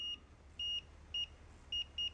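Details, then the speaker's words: Fluke multimeter continuity beep on decade box near 110–120 ohms: five short high beeps in uneven bursts over quiet hiss; beep threshold about 120 ohms, too high to trust for testing automotive blade fuses. "Beep threshold on this meter is about 120 ohms. Got a little beep there."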